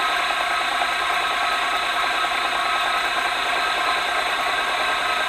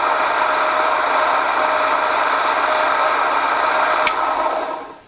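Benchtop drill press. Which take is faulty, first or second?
second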